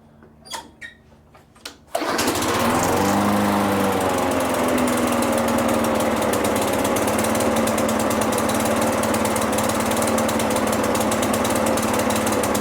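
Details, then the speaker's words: Craftsman mower with Briggs & Stratton engine, unused since before spring, restarted after 30-minute cool-down: catches after a couple of pulls, runs fast and slightly wavering; owner suspects old fuel in carburetor bowl, new fuel in tank. "To be completely honest, what I think is happening right now is I think the old fuel is in the bowl and the new fuel is in the tank."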